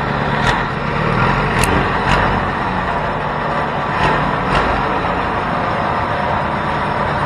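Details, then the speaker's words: Custom 424cc Predator 212 inline-twin build, first run with the carb needle clip at the middle setting: loud, steady, fast idle with no dips; idle is too high, and they plan to raise the clip so the needle drops. "um you know what i was noticing was that the idol is a bit high so we have we have that needle jet set in the middle"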